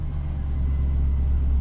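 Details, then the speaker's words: Pickup truck at an equipment auction that fires right up, drives forward and reverse, and has no check engine light. A steady, smooth low rumble with no knocks, ticks or misses; normal idle. "and then i hit the key it fires right up i don't know why it's here"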